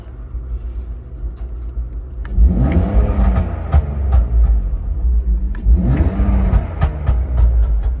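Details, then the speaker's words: Drift car engine idling after hydrolocking on coolant during 360 entries: low, uneven, lumpy idle with a couple of throttle blips, steam and smoke coming out, a lot of water still being ingested; rough running after swallowing coolant. "really a lot of water still being ingested I'm just idling a bit rough"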